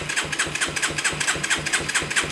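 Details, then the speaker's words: Yamaha 225DX three-wheeler that wouldn't run on an aftermarket Amazon carb, given starting fluid: a short burst of quick, even firing pulses, about five a second, catches briefly then fades; it fires for a second then dies. "I heard that that's exciting so we do know it'll fire for a second at least on starting"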